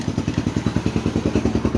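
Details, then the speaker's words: Sewing machine, already cleaned and oiled, still running with a fast, even clatter of about eleven knocks a second; loose parts on the underside need checking. "Viewers আমাদের তেল দেয়া শেষ এবং সবকিছু পরিষ্কার করা শেষ। তারপরেও কিন্তু আমাদের শব্দ হচ্ছে।"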